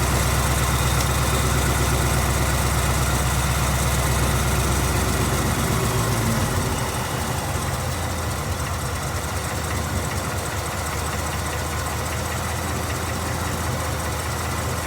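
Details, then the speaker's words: 2019 Ford Mustang GT V8 at idle: lumpy idle with a steady knock about three per second over injector clatter; owner says it is not direct-injection tick and plans datalogging, source unknown. "hear that there's a knocking noise it's not bi with something else"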